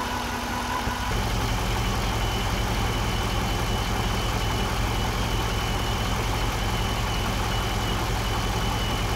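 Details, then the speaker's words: 2008 GXP, almost 150,000 miles, start-up and idle: steady high whine over smooth petrol idle, constant pitch; failing alternator putting out 13–13.5 V instead of about 14, with burning electrical smell. "I figured that before I do that i' go ahead and give you a start so that you can hear what it sounds like when you've got an alterator going bad"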